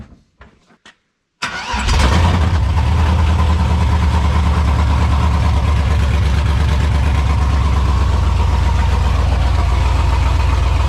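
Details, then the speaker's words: Burnout truck with Texas Speed Stage 3 cam, PRC Stage 2.5 heads, Speed Engineering headers, dual exhaust with X-pipe, MSD coils, after repair: cranks briefly, catches at once and settles into a loud, lumpy, even idle; healthy start, no misses. "Ladies and gentlemen, skid is back. She's an animal."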